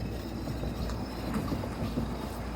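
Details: 2014 Ford F-150 front wheel bearing hub, heard through a stethoscope while the tire is spun by hand: a low, rough, steady droning rumble with no clicks, from the worn bearing.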